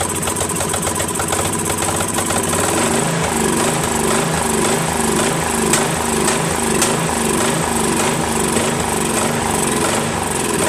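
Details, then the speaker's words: Craftsman 13.5HP mid-engine riding mower replacement engine after fitting new flywheel key: hunts up and down about every half second with odd sharp pops, still surging and backfiring; owner suspects carburetor. "this one was off the original runs a little better but it still backfires a little and still surgeon"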